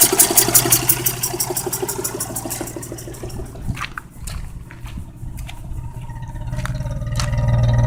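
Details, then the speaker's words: Geo Metro with replacement 1994 engine, 208,000 miles, idling: hissing with a fairly regular knock about four times a second, loudest at the start, from the number one cylinder. "it's starting to hiss and knock i don't know if you guys can hear that knock another from the number one cylinder"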